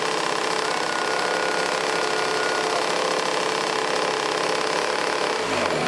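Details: 1980s Toro S-200/S-620 two-stroke snowblower running on its own after priming and long choke use: fast buzzy chatter holding steady speed without stalling, a little rough and smoky; engine running.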